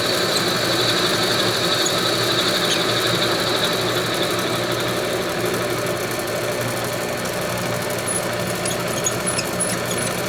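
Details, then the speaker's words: Homemade lathe after fitting new headstock bearings and spindle, turning round stock at normal speed: steady spindle hum with constant high-pitched metallic ringing on top; chatter during this cut, while face cuts have no ring. "Little bit of ringing with that. That's unfortunate."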